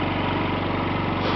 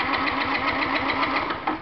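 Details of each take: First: Yamaha C3 49cc fuel-injected scooter, thought to be a 2009 and believed liquid cooled, fired up while hooked to a scan tool after a no-start: a quick, even putter at steady pitch with no knocks or misses, sounding healthy. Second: Fuel-injected Yamaha C3 scooter in no-start diagnosis with a scope on injector pulse: engine runs briefly with rapid, uneven firing, then fades and stalls; the cause was found to be water in the gas tank.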